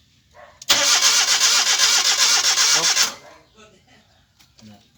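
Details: Suzuki DA64W crank, no start: the starter spins the engine at an even, quick rhythm for about 2.5 seconds, but it never catches. Cause suspected, not confirmed.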